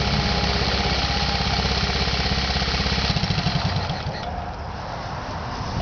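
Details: Honda Z50 single-cylinder engine starts on first kick: quick, even putter with steady firing pulses, no knocks, rattles or leaks; healthy.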